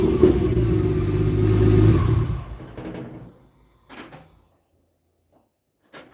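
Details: 1949 Chevrolet with 4200 Vortec engine on first start: revs up strong and even for two seconds then dies away, no knocks or misses; runs normally, though the fuel gauge unexpectedly dropped to E.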